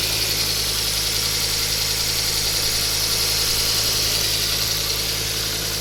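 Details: Ford Focus ST mk2: sharp, regular ticking puffs about three or four a second over steady idle from the exhaust manifold gasket bolts/manifold, per a local garage (Volvo service had claimed turbo replacement).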